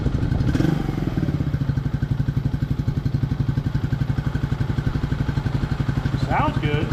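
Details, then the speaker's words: 1999 Suzuki DR200 showing 796 miles, revived after nearly a decade sitting, carb not yet serviced, while riding: a steady single-cylinder thump, evenly firing with no misses or knocking. Normal running. "She sounds very similar to my warrior."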